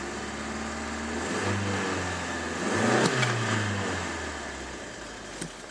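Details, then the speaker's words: 1992 Opel Vectra A, automatic, 1.8 engine, 192,154 km, after muffler replacement: even, quiet idle with a soft rev, no blowing or rasp from the exhaust; normal, well-sealed exhaust. "no dobra odpalmy jak przedtem było słychać cały dźwięk właśnie chomika to teraz praktycznie słychać tylko silikon na to jest cisza nic"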